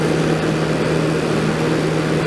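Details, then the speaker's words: 1989 Crest (Fedders) 5000 BTU Carry Cool portable air conditioner on high cool after cleaning and fan-motor oiling, drawing about 575 W: steady hum with low drone and soft R22 refrigerant hiss; full charge, running normally. "Very cold again. Nice and warm back there as always. Hear that R22 hissing around in there. It's a full charge on it."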